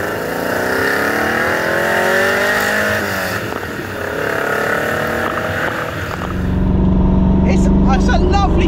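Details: Ferrari 308 V8 with a new loud custom exhaust, under way: snarling uneven lumpy exhaust beat, not firing on all eight cylinders; misfire, cause not stated.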